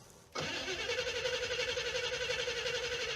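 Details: '77 Cadillac Eldorado project car cranking on gas from a 5-gallon can: the starter cranks quickly at about four beats a second and the engine never catches, suspected fuel starvation because the little electric fuel pump won't lift fuel.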